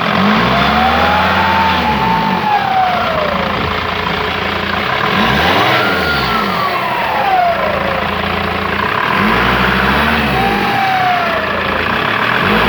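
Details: Mercedes W210 2.7 CDI diesel: with each rev a thin whistle climbs and falls with engine speed over the diesel clatter, cause unclear. Finding: turbo whistle.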